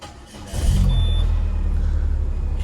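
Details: Used car with full oil and just under half fuel: short crank, then the engine fires and holds a smooth, even low idle without misses or knocks; no warning lights on, sounds healthy, though the upper engine mount shows slight vibration.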